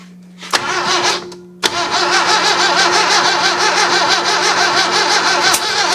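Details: 1966 Datsun 520 truck abandoned 40 years, extra fuel added and choked: starter chugs about three turns a second, stops, then cranks again with a few stronger catches on a couple of cylinders that never build into a run; fuel leaking.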